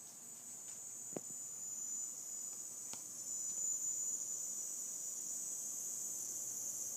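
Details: Seasonic M12II 750W power supply, under three weeks old, hissing randomly at PC power-on since about one week of use: faint steady high-pitched hiss with soft ticks; cause unknown.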